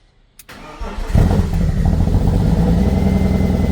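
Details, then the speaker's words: 1998 BMW E36 328i Cabriolet, abandoned project car, first start after priming: short crank, catches and settles quickly into a steady, even idle; engine starts (upper radiator hose found leaking afterward). "So, this is the first start and the moment of truth. I've primed it. Now, we're going to start it. There you go. Let's crank it over."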